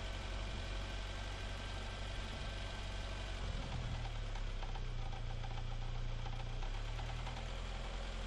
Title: Не понятный стук в двигателе (видео 2)